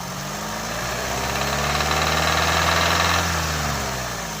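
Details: Engine revs rise and fall with a hollow regular knocking that tracks engine speed when the throttle is pressed; metal found in the oil filter, pointing to internal wear of unknown cause.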